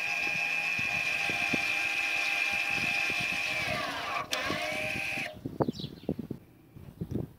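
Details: 2011 Audi A6 C7 2.0 TDI, 180,000 km, electromechanical parking brake released via VCDS service mode for rear pad and disc change: thin steady high whine about four seconds, pitch dropping as rear motors wind back, then clicks.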